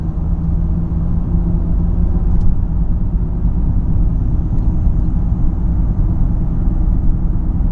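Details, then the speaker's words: 2012 Ford Fusion SEL cruising past 35-40 to about 50-55 mph: deep steady cabin drone with a low hum that gets louder at 50-55, possibly with slight vibration; cause not yet found. "See if you guys can hear that humming sound. Past 35, 40 now. About 50, close to 55. It gets louder at 50, 55, and I think there might be a little bit of a vibration."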